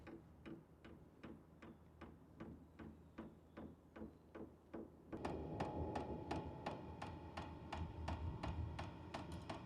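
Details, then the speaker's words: H-Calory diesel heater's dosing pump priming at startup on level 1: sharp, even ticks about three a second, joined by a blower whir; ticking slows once running and quickens at higher levels. "Now you can hear the ticking. The ticking does go down once it starts up. Right now it's just priming."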